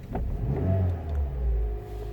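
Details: 2009 Toyota Yaris petrol engine after cleaning dirty battery terminals to fix a no-start with clicking: now starts and runs smoothly, rising briefly in a light rev and settling again, normal.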